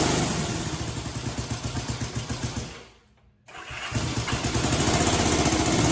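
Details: 1965 Honda CB77 Super Hawk barn find after restoration, with choke on and spark plugs swapped: steady chuffing cranking about four beats a second, a pause, then cranking without catching, showing signs of life; cranking, trying to fire.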